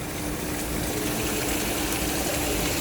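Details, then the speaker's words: Ice machine pre-start test: ice generator water pump switched on via contactor, even pump hum with water rushing and splashing steadily, no rattles or grinding; circulation normal. "the water circulation goes on."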